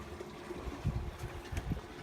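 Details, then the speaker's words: Malibu 23 LSV ballast fill about 10–12 minutes in, bags raised 3 in off the floor: soft water rush with low irregular gurgling and sloshing as water struggles into the hard tank, only about a quarter full, gauges reading zero. "hear the water going into the tank you can also hear it gurgling trying to go into the hard"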